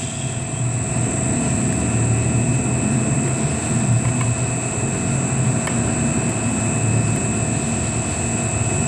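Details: Three-phase motor on an NFlixin VFD (1-phase 220 V in, 3-phase 380 V out, 1.5 kW, 3.7 A): a steady hum with a constant high drive whine and no knocks or rubbing; running normally.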